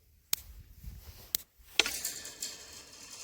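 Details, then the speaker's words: Solar electric fence at a banana farm: sharp snapping clicks about once a second where a fallen live wire touches the earth wire below. The snapping stopped once the wire was moved. "ఇక్కడ ఒక wire వెళ్లి పైన wire నుంచి కింద earthing కి వెళ్తుంది అన్నమాట అందుకే ఇలాంటి సౌండ్ వస్తుంది"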